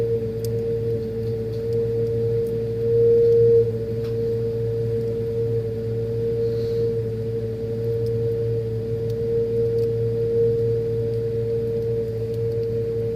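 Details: Freezer making a steady, piercing ring around 480 Hz over a low hum, holding constant throughout: loud tonal whine.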